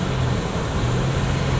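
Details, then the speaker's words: 2008 Nissan Xterra 2WD, driving after inspection for front scraping noise, wheels torqued to 100 ft-lb, front brakes and rotors recently replaced: only steady road and tyre hum at cruise, no scrape; simple fix, not wheel bearing. "we don't have any noise, which that's a good thing."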